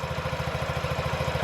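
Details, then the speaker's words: 2017 Honda Ruckus NPS50 50cc four-stroke scooter, idle set to the lowest it will go before stalling, after earlier rpm variation: even putter at about sixteen beats a second, no hunting; steady idle. "if i go any lower it's gonna stall and it's steady which is surprising because i thought there was something else wrong"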